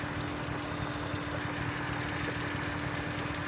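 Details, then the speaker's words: Idle stumbles unevenly with irregular pops about three a second over a steady hum; no misfire codes stored, but owner thinks it's misfiring; engine down on power and wouldn't rev higher. "Doesn't have any misfire codes. Oh. But I think it's misfiring."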